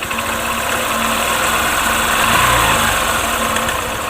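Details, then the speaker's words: Honda Shine motorcycle, single-cylinder, at idle with an intermittent, uneven light rattle of about three ticks a second, sometimes very loud. The timing chain was already replaced, and the chain tensioner isn't working. "यह जो आवाज दोस्तों यह timing चैन का आवाज है और मैंने हारी अलार्म उसका टाइमिंग चैन है डाला है तो फिर भी यह आवाज़ क्यों कर रहा है भेजो आवाज कर रहा है यह टेंशन में की वजह से इसका टेंशन हर काम नहीं कर रहा है"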